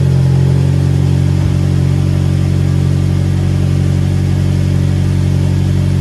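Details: Ford Mondeo started after replacing a cracked spark plug and refitting the plug leads: smooth, even engine note with steady firing and no misfire stumble; running normally.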